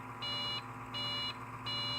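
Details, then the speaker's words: Dell XPS 8500 at power-on with a bad fan present: high, evenly spaced beeps repeating about every 0.7 s, a four-beep POST code; suspected video card fault or dirty contacts. "four. Sounds like a video card problem to me, so go figure, eh?"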